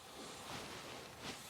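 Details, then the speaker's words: Kioti CK2610 tractor rear tire being ballasted with RV antifreeze: soft steady hiss with a couple of louder puffs as air is bled from the tire valve to make room for more fluid; normal. "Well, we are making good progress. I'm bleeding the air now out"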